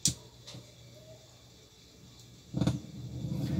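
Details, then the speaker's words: Novik EVO-250A/USB powered speaker, switched on with no audio input, gives a click, a faint hum, then a rough crackling low grinding that swells and spikes, worsening when the potentiometer is moved; it began as a hiss like potentiometer failure. "ele está realmente o meu barulho um moído e agora começou a fazer Picos não falante para mexer no potenciômetro que o barulho se agrava né E fica dando Picos não alto-falante"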